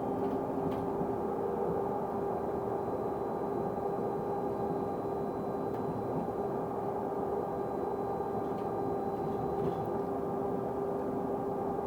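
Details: Stagecoach London North bus SLN 82060 on night route N199 near Catford: a steady mid-pitched tone holds unchanged over the running noise. Constant-pitch tonal noise, cause not yet pinned down.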